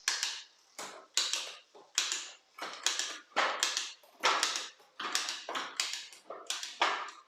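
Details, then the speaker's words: B'Twin Riverside trekking bike, low mileage, over-oiled drivetrain before cleaning: rough rasping chain bursts about once a second while shifting, not dropping cleanly onto cogs — imprecise rear shifting from slack shift cable. "Let's check the shifting performance. Not bad, but it could be better."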